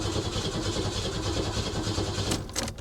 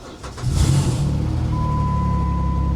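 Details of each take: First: 2002 Ford Thunderbird at a salvage auction, long-sitting, throttle body area disturbed: steady starter cranking about three turns a second, engine never fires, no fuel pump hum heard; suspected fuel system issue or tampering, not confirmed. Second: 2002 Ford Thunderbird salvage car with the throttle-body intake disturbed and a fuel-system fault suspected; on a booster pack it cranks briefly, then fires right up into a steady, even idle with no misses. It starts and runs normally.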